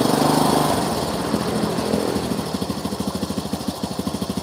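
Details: Honda Supra motorcycle after engine rebuild, spark plug found not tightened: uneven, loose popping beats at idle; rough running from a flooding carburettor.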